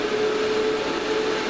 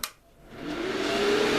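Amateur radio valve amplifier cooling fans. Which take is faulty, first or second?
second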